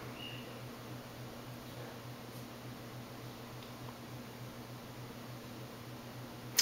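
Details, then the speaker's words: 1984 Four Seasons Seville (Venair) 36-inch ceiling fan, restored, on a 3-speed wall control, running at medium, a fast medium close to high: low steady motor hum with a faint airy whoosh. It still hums somewhat. "it still hums quite a"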